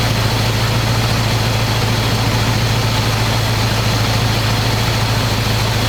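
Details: 1985 square-body 454 big block, 4-speed, sat 20 years, oil and filter changed; after adjusting idle screw that wasn't touching throttle, warm engine idles smooth: deep steady V8 burble through open pipes, even beat, no misses or knocks. Normal idle.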